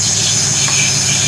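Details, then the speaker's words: Truck rolling on a wet day: steady high squeal over a low rumble, sounds like a wheel bearing though owner says it might be a hung caliper; cause suspected, not confirmed. "Ooh. That don't sound good. No. That sounds like a wheel bearing."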